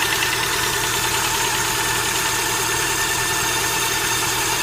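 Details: Steady idle with a light, fast ticking riding over it, even and unchanging: hydraulic lifter knock.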